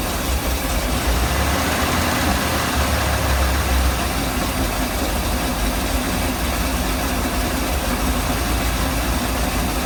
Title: Mercruiser 454 rough idle